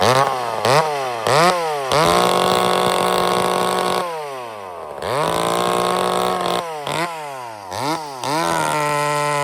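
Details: Chainsaw with high-speed jet set at one turn out: sharp blips from idle to a clean, screaming top end, held steady and dropping back smoothly; running well.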